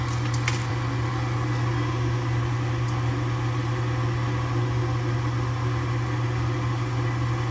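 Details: Furnace inducer motor just replaced after a bird caused failure, flue piping and wiring reconnected, still jumpered. Steady, even motor hum with constant low drone and no scraping or rattling; new inducer runs smoothly.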